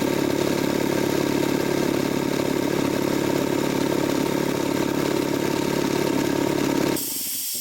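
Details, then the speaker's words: Jenny air compressor with faulty pilot valve, run in stop-start mode, reaching 125 psi: steady drone with high hiss cuts out abruptly near seven seconds as the pressure switch trips normally. "And then it'll trigger the pressure switch to shut down."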